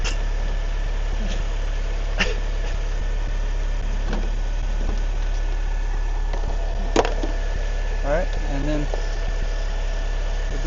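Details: 2006 Pontiac Solstice after starter replacement, jumper disconnected during alternator charging test: steady, even idle hum, no knocks or misses, a couple of brief background clicks; battery reads 14.2 V, so alternator now charging.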